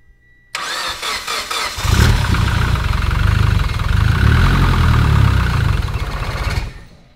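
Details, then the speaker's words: Mitsubishi Evo X with freshly built engine, first start on the new motor: starter cranks, then catches into an uneven lumpy idle that stumbles; owner says it didn't sound healthy, check engine light on, cause unconfirmed. "didn't sound healthy let me see that check engine light and then I'll start again that sounded kind of silly though it's a brand-new motor though"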